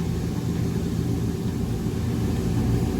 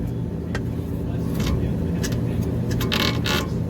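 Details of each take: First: Trane Voyager rooftop HVAC unit on 460 V, drawing about 6.3 A, with a rough, steady low rumble and uneven gritty churn; first suspected motor, but the idler pulley bearing is failing and visibly moving, pulley cracked, replaced. Finding: failing idler pulley bearing. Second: Trane Voyager HVAC unit on 460 V after idler pulley replacement and belt re-tensioning: even low rumble with faint belt chatter, no screech; amp draw 4.4, about as before; previous screaming was not the motor; normal blower operation.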